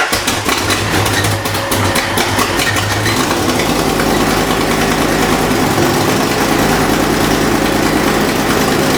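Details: Fox Body V8 idling before warm-up, after new valve seals: sharp puffing tick with firing from an exhaust leak at the passenger-side header/X-pipe joint.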